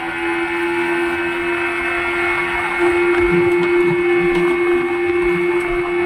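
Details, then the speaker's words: Yamaha 15 hp outboard after fixing a leaking reed valve and clogged carburetor: steady hum holding as throttle is worked and released, shifted into forward gear; no longer dies, runs clean. "saya lepas saya lepas Iya tidak mati lagi sudah jos sudah bagus mantap"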